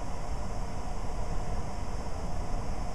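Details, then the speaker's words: Variable-speed blower motor tested with VZ-7 on a Trane circuit board, set to cooling 1 (half speed); steady low whoosh of air with a smooth, even motor hum. Normal blower running at half speed. "to cooling the Big C 1 which is half speed again which should be the same numbers 500 rpm and nine hundred CFM"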